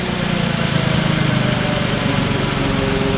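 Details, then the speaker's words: 2006 VW Passat, bought with a low oil pressure light and suspected timing chain noise, idling after repair: an even, quick idle pulse with no chain rattle or slap, quieter than before. Normal idle. "No, it sounds great. Okay guys, she's idling perfect,"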